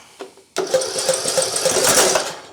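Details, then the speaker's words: Craftsman YT 3000 lawn mower after spark confirmed and fuel blown off the spark plug: cranking turns into uneven popping and sputtering as it tries to catch; owner suspects the carburetor; flooded engine. "I'll give her another try maybe see was flooded well I know was cuz I had to blow off the spark plug a little"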